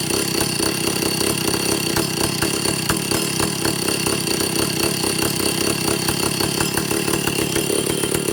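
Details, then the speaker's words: Vintage Stihl chainsaw after air-leak and fuel-system repair and carburetor adjustment, target top 10,000 rpm: busy, rough buzz staying level, never climbing to full revs; owner suspects the carburetor's third circuit. "The only thing I'm concerned about is um the the engine doesn't want to rev all the way up."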